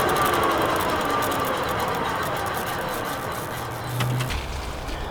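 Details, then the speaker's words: Car coasting in neutral with engine off from about 70: low drivetrain growl under road and wind noise, fading in tone as it slows; owner suspects the transmission, like a manual's bad input shaft bearing, not confirmed. "all right so I actually think the noise is in the transmission and I kind of kind of was weary of that at first because anytime you're crawling along really slow you can hear like gears running together or like a a growling something"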